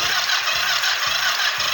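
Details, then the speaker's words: Kawasaki GPZ 500 cafe racer, hard to start in the mornings, compression test after valve adjustment while cranking on the starter: light, quick beats about twice a second; only 6 kg/cm², rising to 7 with throttle wide open; low compression. "6 kilos, tiene que dar un poco más."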